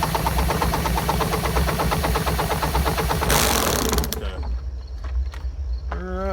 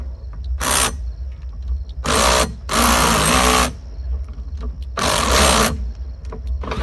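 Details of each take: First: Lawn-Boy "bricktop" mower spun over with a drill for about three seconds: fast, even chugging with pulses suggesting decent compression, then it stops; hot spark confirmed afterward. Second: Lawn-Boy "bricktop" two-stroke mower spun with a drill after a shot of carburetor cleaner down the throat: short cranking bursts, then rapid popping for a few seconds as it catches and briefly starts.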